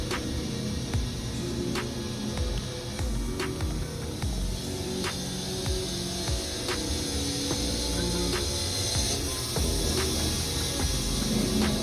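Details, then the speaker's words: Wood-Mizer WM4500 sawmill cutting an oversize log (biggest at least 45 inches) beyond maximum capacity under computer-controlled feed during blade comparison: steady heavy roar, blade sounds strained and stressed yet cutting cleanly with little dust. "seems like it's stressing that blade quite a bit. The way it's pushing it, you can hear it. But it's cutting really well and cleaning that wood up."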